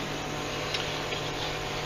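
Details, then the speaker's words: Alpicool T60 dual-zone 12 V car fridge freezer running off AC, compartments set to 34°F and 14°F: steady low compressor hum with buzzing rattle from empty baskets shaking; quiets when sides are pressed, not a failing compressor. "So it's loud right now. I took the baskets out, and the baskets, there's nothing in the baskets. And they're in there shaking around because there's no weight in them."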